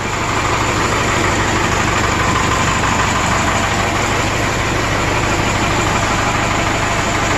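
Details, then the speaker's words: 1996 Vermeer SC1102 stump grinder, 3.9L 4BT Cummins turbo diesel, warm idle: uneven chuffing pulse about three per second and heavy breathy rumble; readings low on all cylinders (170, 200, 186, 136), worn rings causing blow-by. "they're all low pretty much across the board come here all right number one 170 200 186 136 hey buddy yeah man all right huge rings man what a bummer"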